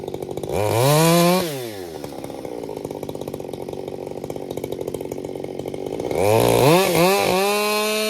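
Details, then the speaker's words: Krafterized Husqvarna 562XP Mark II chainsaw bucking oak firewood: screams to full throttle, pulls down to a steady lower note in the cut, then clears cleanly with no four-stroking burble; running normally under load. "It's really decent about not four stroking."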